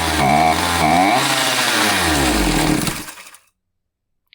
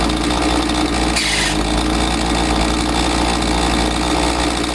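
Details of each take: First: Husqvarna 543XP chainsaw after owner's failed carb adjustment (limiter range likely shifted with special tool): saw revs unevenly, surging and sagging before dying, won't stay running; carburetor mixture screws set out of range. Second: Husqvarna 543XP two-stroke chainsaw that bogged after the owner misadjusted the carb with online adjustment tools, now running after the shop's carb adjustment: a steady, even high-speed buzz with no stumbling or surging, clean and properly tuned.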